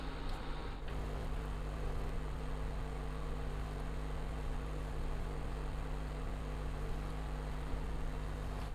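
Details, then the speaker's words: Repaired induction cooktop heating a bowl of water until it bubbles and steams: a steady, even low hum with a healthy fan and no buzzing, clicking or cutting out. "तो चालू करते हैं induction को हम। तो देखिए induction चालू हो चुका है। अब थोड़ी देर देख लेते हैं ये पानी गर्म होता है या नहीं।"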